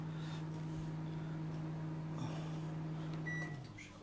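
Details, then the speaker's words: ARDO AMW 25B microwave: high-voltage transformer hums steadily as soon as it is plugged in, before start is pressed, fan whirring; housing near the primary filter/power board heats up; should be silent until started. "я еще не включаю просто в розетку втыкаю и уже гудит как юдит высоковольтный трансформатор ну а еще ничего не включена"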